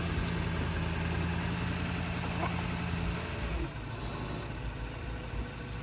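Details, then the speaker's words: 2012 Lexus LS460 at a police impound auction, started with a jump box: smooth, even low idle hum, steady pitch, settles a little quieter partway, no knocks or misses; sounds pretty good, normal idle. "Moved it forward and backward. Looks, sounds pretty good."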